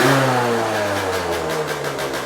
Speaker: So, I carried on looking around the bike, went to start it up, and it starts on the actual button. Literally no effort whatsoever, and sounds like the classic two-stroke.